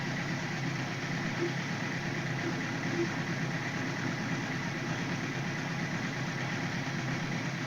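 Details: 1978 Suzuki GS1000C after carb cleaning, choke just closed. A steady but slightly ragged four-cylinder idle. The number 2 carb float needle was stuck open by debris, flooding that cylinder and dumping fuel from the overflow hose; fixed by replacing the needle valve.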